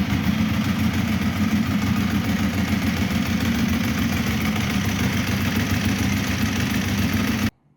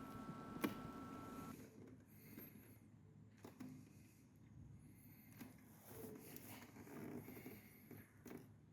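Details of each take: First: Ducati 1198 V-twin idling after starting first time despite battery reading only 12.1 V (old Yuasa, intermittent no-start); loping, slightly uneven idle with dry clutch clatter, steady until switched off; normal idle, sounds healthy. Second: Ducati 1198, battery voltage slightly low: single sharp starter solenoid clicks every second or two, engine never turns over; rolling the bike forward or nudging it into gear sometimes helps it start.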